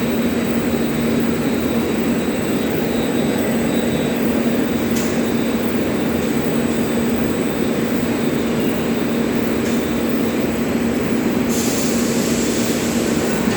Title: Humming Noise in Mechanical face seal